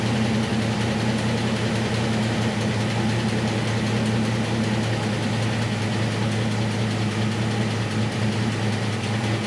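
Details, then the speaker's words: 1966 Mustang with factory V8 and 4-speed, on a newly installed Edelbrock 1406 electric-choke carb, cold: a low, steady idle burble that runs fairly evenly with no misfires. It fired more or less on the first try; idle mixture and fast idle are not yet set. "um but i can take care of all that uh it's nice to hear it fired up really more or less on the first try"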